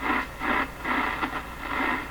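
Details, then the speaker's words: Stromberg Carlson 561 tube radio: hissy scratchy static in bursts about every half second; suspected rubbing tuning capacitor plates, though also heard as not a scratch, source unconfirmed. "hearing can be caused by a couple things so that kind of sound usually is rubbing plates"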